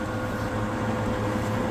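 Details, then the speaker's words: Old rusty, dust-caked Royal reversible fan from a Pakistani home: small motor with steady low drone and rough gritty edge, noisy but gets up to speed and not seized; cause not confirmed. "So let's try and turn it on. Quite a noisy motor, but it gets up to speed."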